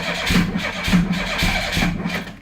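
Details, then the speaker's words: 1988 Pontiac Fiero, 127,000 km, long sat with bad gas, heard from inside the car: just fired, lumpy and uneven with surging pulses at low revs; rough running after a hard start, before plugs and fuel filter are changed. "not very happy which isn't surprising like I said it's at around a lot"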